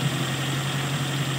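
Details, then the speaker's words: Toyota with a carburettor that would not start, after the vacuum hoses were refitted to cure a carburettor vacuum leak: a low, steady idle hum holds an even pitch with no hiss, stumble or hunting. The problem is solved. "patay Sige start mo lang ha walang gas malala natin kung ano na okay na ayan mga tropa problem solve so vacuum leak lang sa karburador"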